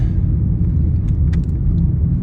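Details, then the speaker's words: VW Jetta driving after replacing the sway bar end links to cure a rattly suspension: only a smooth low road rumble, no rattles or clunks over bumps; noise gone, suspension quiet and tight. "Already I can tell that it's making less noise. Very happy. Jetta Decrapification project success. No more noise."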